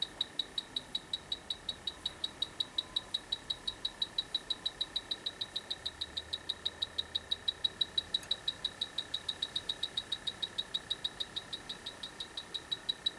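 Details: Dry air generator that lost its refrigerant: fast, steady high-pitched beeping of a leak detector, about three per second, in a quiet room; it picks up a refrigerant leak at the evaporator coil.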